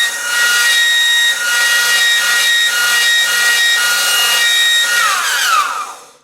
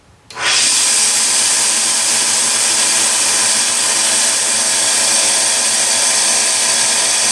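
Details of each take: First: Delta 1-inch belt sander, 1/4 hp motor, found by the roadside, initial run before cleaning: loud steady high-pitched squeal over the sanding rasp, sliding down as it coasts off; owner suspects motor bearing; seized motor bearing squeal. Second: Delta 1-inch belt sander with a quarter-horsepower motor, after repair of a high-pitched screaming fault: it spins up quickly to an even, steady hiss with no squeal or whine; running normally, fixed.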